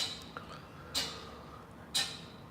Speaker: when I press break you guys are going to hear the clicking sound which is the ABS module